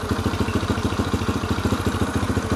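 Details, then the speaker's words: Yamaha TTR 125 single-cylinder with a cleaned carburetor, new spark plug and air filter, choke off, on year-old fuel: an even, steady thump at about eight beats a second with no misses; a clean, healthy idle. "New carb. Well, I should say new clean carb. Sounds good. New spark plug. New air filter."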